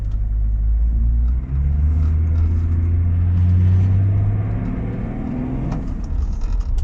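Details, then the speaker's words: Range Rover P38 after gearbox filter and oil change for no-power fault, pulling away from rest in car park: steady rumble building evenly, no slipping; previously full throttle gave almost nothing. "mean i could have my foot to the floor before and he was getting nowhere"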